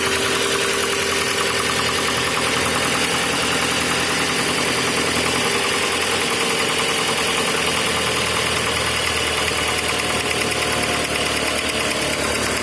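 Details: VW Passat B5 engine knocking at cold start. A busy cold idle carries a faint, loose tapping about twice a second under a hissy, clattery background; the cause is unclear.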